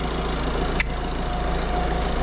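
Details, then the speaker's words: Citroen C5 1.6 HDi diesel after timing belt and water pump replacement, cooling system bled: starts right up into an even, steady idle with a soft regular clatter and no knocks or squeals; normal idle. "start starts right up running perfect so yeah that's it"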